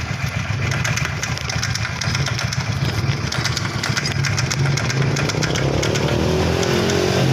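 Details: Honda Vario Techno carburetor scooter, clicking from CVT case at low rpm, caused by worn, loose front pulley bushing (also oil leak, starter not working, battery not charging): light loose ticking about twice per second over idle.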